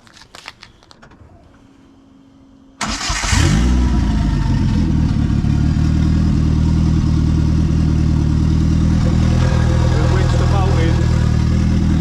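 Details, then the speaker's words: Ford Fiesta with an ST170 turbo engine (210 bhp on an engine dyno), makeshift fuel line repair and throttle body, bolt wedged in for tickover: starter cranks, engine catches into a loud, raw idle; no exhaust fitted, only a downpipe. "It's got no exhaust, it's only got a downpipe."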